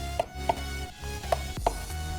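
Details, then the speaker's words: Logitech G29 steering wheel base opened: sharp, irregular knocks about four in two seconds as the wheel is rocked, from the shaft moving on two slack mounting screws; fix is tightening them, optionally with Loctite. "it is very likely that those same two screws has run slacked in probably run slack in yours as well okay now this is how can you hear this that's is the noise I was hearing when I was shaking my steering"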